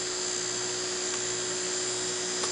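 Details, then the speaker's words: Fischertechnik DC motor driven by a Raspberry Pi 1 Model B+ through a transistor with PWM, second motor under test: thin steady high whine holding one pitch; runs considerably slower than the other motor because the voltage across it is low. "the next step in order to once again trying to measure the voltage is the voltage over the second motor which runs remarkably slower considerably slower than this motor"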